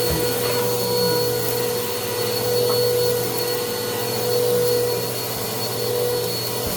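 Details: Bissell PowerClean OnePass (35831) vacuum, used Goodwill unit, running after its clogged filter was cleaned and airflow unblocked: loud steady motor whine with a faint rough edge and slow swelling. The motor is still noisy; owner suspects bearings or impeller dirt, unconfirmed.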